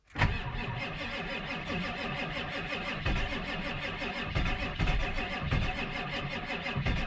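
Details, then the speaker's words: Ford F-350 Powerstroke diesel, cold start at 40 degrees after sitting, weak batteries, known bad starter smoking, half throttle held: brief laboured crank, then catches into a rough, clattery idle; failing starter with weak cranking. "batteries are weak put it away to the floor here wait to start it's cold come on well she just don't have enough power to"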